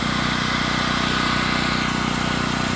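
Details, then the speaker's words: Generator converted from gasoline to propane via carburetor conversion kit, running on a full propane tank with a shut-off valve on the gas line: steady, even single-cylinder beat at constant speed, no misses, surging or knocks; normal running. "I'm going to let it run for 15 20 minutes it's on a tank that's completely full sounds like it's running good to me"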